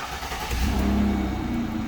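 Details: Ford Escape/Focus after replacing the ignition lock cylinder housing to cure a no-crank no-start: brief crank, then the engine catches and revs up into a steady, even run with no misses; starts cleanly with the key.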